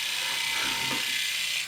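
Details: Philips Norelco 3000 Series shaver, about three years old, after blade replacement: steady even high-pitched buzz with fine whirr, no rattle, then stops; runs smoothly, about 10 dB quieter than the old 71 dB blades.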